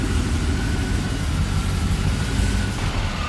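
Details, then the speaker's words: 1965 Lincoln Continental with a 7.3L Godzilla V8, Holley Terminator ECU and new headers and exhaust, on its first start: deep, lopey burble with a steady beat, no ticks or knocks, 64 psi oil pressure; healthy idle. "sounds good doesn't sound too loud can you give it a little Revy rev Rev oil pressure is looking good from here 64 PSI engine oil"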